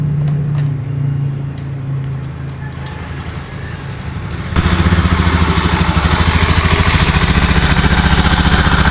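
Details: Honda Beat ESP scooter's first start after an engine rebuild for oil consumption (badly scored piston and cylinder block), with fresh oil added: it fires after a few seconds and settles into an even, steady idle with a quick regular beat; normal idle.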